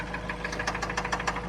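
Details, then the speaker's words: 2004 Mazda Miata, 125k miles, no check engine light, worse after driving following an oil top-up: sharp metallic clicking over steady idle about six or seven per second, coming and going; owner suspects something metal loose, cause not traced. "it sounded like a little bit and then i drove it and then it got super bad like this there's like a metal rod or something something is loose somewhere but"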